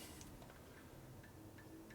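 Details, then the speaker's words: 2000 Harley FXR4 80ci Evolution motor rebuild with cam bearing repair and new Ultima flywheel crank assembly: cam gears turned by hand give faint light ticks, no whine, showing backlash in the sweet spot. "hear the clicking yep early little Tiki yeah so that's pretty close"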